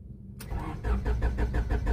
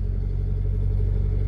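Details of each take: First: Honda Civic petrol engine cranks steadily, about six pulses a second, but never starts; fuel pump primes and check engine light is on, but no power to the ECU, caused by a blown ECU main fuse (simulated fault). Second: Honda Civic petrol engine just started cold after a no-start, no check engine light; smooth steady idle running slightly fast, RPM elevated because it is a cold start, normal until it reaches operating temperature.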